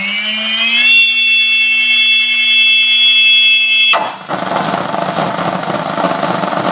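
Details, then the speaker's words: ZOHD Dart XL stock brushless motor tested on the bench after maiden flight where it made noises and lost power; steady high whine breaks into a rough, gritty rasp at full power. Rough running, failing motor, early-version known issue. "so the main issue i had with this motor here on the maid and as you heard i'll show you here it's just um it was making noises losing a lot of power"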